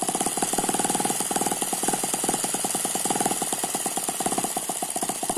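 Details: Eachine ET9 (M15) mini gasoline engine, a balanced single cylinder with twin counterbalances: quick, even firing with a steady turbo-like gear-mesh whine on top; runs very smoothly.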